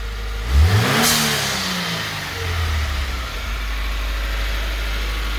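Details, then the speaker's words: 2018 Subaru WRX with newly installed Go Fast Bits (GFB) blow-off valve: sharp rev, then a crisp whoosh as the throttle snaps shut, settling straight back to clean idle without stumbling; normal blow-off valve venting. "okay so it doesn't sound like it's tumbling it actually sounds pretty good"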